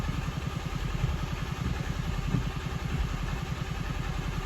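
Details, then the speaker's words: Toyota Auris diesel, crank no start with code P1604, petrol in the tank, fuel bled to the filter, injectors need 200 bar rail pressure to fire: steady low thumping with clatter, labouring, then almost catches and runs. "go again waste there we go well almost hey she's running"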